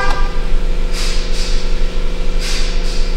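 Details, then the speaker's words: 2017 Chrysler Pacifica 3.6 with a no-crank, no-start complaint, remote start attempted: two pairs of quick horn chirps over a low steady hum and no cranking; remote start was refused because the hood is open. "start canceled hood open okay so we need to close the hood"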